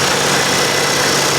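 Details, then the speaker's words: Salvage auction Audi A3 petrol: even, steady idle with a smooth hiss-heavy tone and no knocks or misses; runs great. "She runs absolutely great."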